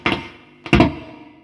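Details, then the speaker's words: Behringer V-Amp Pro amplifier, microphonic and very noisy, with occasional loud mains transformer hum: taps come through the amp as hollow thumps ringing with a metallic tone; the fault appears centred on an input jack and possibly the line-in selector switch. "first of all from time to time I'm getting Maine's transformer humming quite loudly in the thing but second of all and more importantly microphonic and it's definitely done and it looks like an input jack oh"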